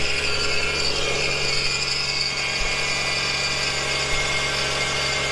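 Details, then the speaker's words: Subaru SVX after new spark plugs, coil packs and fuel pressure regulator vacuum hose, octane booster added for suspected old gas: steady, even idle with constant hum, no misses; runs much smoother, AC compressor suspected of a separate noise. "so there we go running much smoother i put the octane booster in there so hopefully we're running out some old gas"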